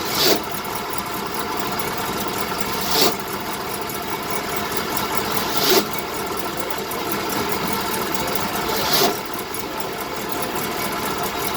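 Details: 1970 BMW 2002 at a steady idle with four short raspy grinding bursts, roughly every three seconds; the grinding happens only while the clutch pedal is being released.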